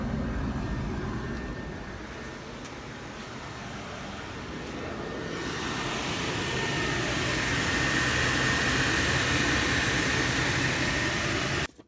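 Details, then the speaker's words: 2001 BMW Z3 replacement blower motor test run after install: steady airy rush swelling as the fan comes up to speed with a faint even whine; sounds like it's doing pretty good, normal blower operation. "alright sounds like it's doing pretty good so we do not lock it up"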